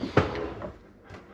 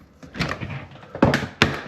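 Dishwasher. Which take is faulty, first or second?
second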